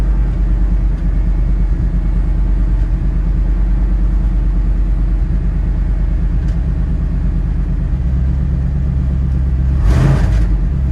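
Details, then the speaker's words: Cold start of a Chevrolet Suburban, started with a jump pack: deep uneven V8 rumble with a loose rattly exhaust note; exhaust rattling or shot, needs replacing. "needs new exhaust you can hear it rattling or it's shot"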